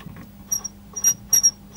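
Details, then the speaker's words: Pioneer SX-450 receiver, rusty parts unit: short thin high squeaks in bursts about every half second as the tuning dial turns near the top of the band; owner suspects the tuning capacitor or stiff knob, not the pulleys. "Yeah, it went right up there this time. You can hear something squeaking there."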